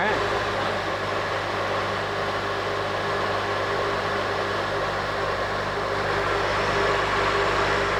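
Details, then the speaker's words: 2006 Honda Element after replacing serpentine belt and tensioner pulley for a squeaky-belt complaint: smooth even idle with a steady low hum and no belt chirp or squeal; repair confirmed, normal idle. "We started it... no noise. Looks like we took care of this customers complaint of squeaky belt."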